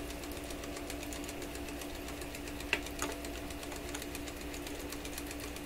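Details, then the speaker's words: Webster record changer in Electrohome Chippendale console, motor slowed by position: steady motor hum with light, even tick every turn, suspected rotor hitting something each revolution; rhythmic knocking. "Well, you know what it sounds? It sounds like the rotor is coming around and whacking against something every time it goes around."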